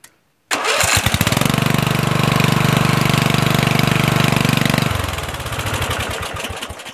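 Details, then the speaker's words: Murray 14.5hp 42-inch LT lawn tractor after the miswired solenoid ground was corrected so the magneto works: it catches at once, runs a steady even thump, then shuts off cleanly from the key switch. "let's see if it starts and it shuts off no problem that's what it was"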